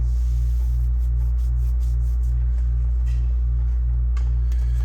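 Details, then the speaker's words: Reassembled Macintosh Classic floppy drive erasing and formatting a 1.44 MB disk: a steady low drive hum with a regular head-step pattern of about three beats a second. The drive is formatting normally. "It's gotta, so this should format to the right setting. Yeah, I hear it going the right way."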